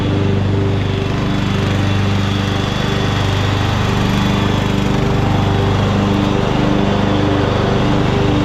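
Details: 2014 Ariens (Husqvarna) 42-inch-cut riding mower, revived from scrapyard parts machine, cutting under load: steady single-cylinder drone at constant speed, no surging, knocking or misfires; running well, only needs a couple of small things.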